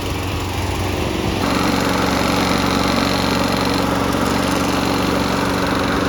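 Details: 1990s Toro GTS 2 550 mower, 5 hp Briggs & Stratton 124702, after carburetor repair and new filter, started on choke: fires and picks up to a smooth, steady run with an even beat and no misfires; sounds healthy.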